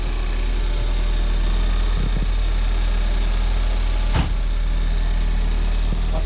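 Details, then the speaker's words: Crash-damaged Ford Fiesta ST from auction, oil and coolant fine, no leaks: starts and settles into even idle with only light valvetrain tick, no knocking; these engines are usually ticky, this one sounds healthy. "Sounds really sweet. They're usually a bit ticky. That sounds really good to me. So, at least we know the engine's fine."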